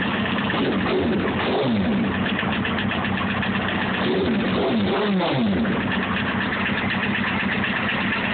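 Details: Honda CBR954 motorcycle: rapid, uneven tapping about four per second over a lumpy idle with brief revs, a knock of unknown origin; engine knocking.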